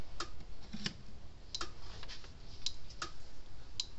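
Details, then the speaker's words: Red Snap'r 25 Mile fence energizer after repair, first plug-in on the bench: sharp, dry clicks about once a second, the steady output pulse of a working fence charger; normal energizer pulse. "so let's plug it in see if it goes to clicking"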